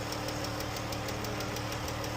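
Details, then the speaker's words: Jeep engine idling: quick, light, even ticking about six per second, the clatter of worn rocker arms and lifters, a known issue on these engines and not caused by oil. "But this is definitely a rocker arm and lifter problem."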